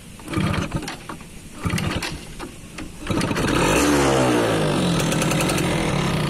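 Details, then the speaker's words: Hard starting on a 20-year-old 2002 F1ZR Caltex Special Edition (H2K) two-stroke moped: scattered kickstarter attempts with brief pops after it stalled, then it catches into a steady rising buzz; owner suspects the oil setting is too rich. "Aduh, mati. Kalau pakai Kickstarter, coba. Susah ini."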